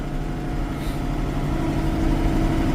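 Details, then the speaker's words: Case tractor with a 504 engine, started on a clear 30-degree morning after sitting, taking more than a revolution or two to fire: now idling steady and even with a smooth low chug and no knocks or misses; normal idle. "And that is what I love about Case 504 engines. They got as much or more torque than a John Deere, but these girls start. And yeah, it took it more than a revolution or 2, but she's running."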